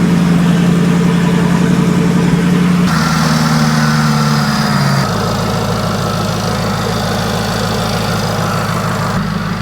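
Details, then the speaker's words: Modified salvage Jaguar XFR 5.0 supercharged V8, freshly ported blower, first startup after about a year's rebuild, factory tune: steady even idle, smooth low burble, faint blower whine, no knocks or ticks; running healthy. "so far so good hasn't driven yet hasn't moved under its own power yet there is still a lot to go but it's running and it sounds fairly healthy sounds fairly happy"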